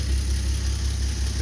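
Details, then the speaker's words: Old Nash flathead six, 6-volt positive earth, cold start after long storage, no coolant so short run: low, even rumble with steady beat, no knocks or misses; idling smoothly after blowing black soot. "that's awesome makes me happy kind of blew some black soot all over but he's running all right now I'm even more excited right now"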